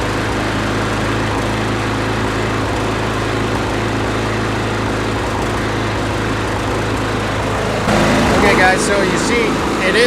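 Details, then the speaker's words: Husqvarna 510 MD push mower that had hit something hard with its blade, pull-started before repair. Ragged, sputtering run and visible shaking; the ignition timing is suspected to be out from a sheared flywheel key. "is running but it's kind of cut like sputtering and you can even see it shaking a little bit here so I'm thinking that the ignition timing is out a little bit because they probably sheared the flywheel key"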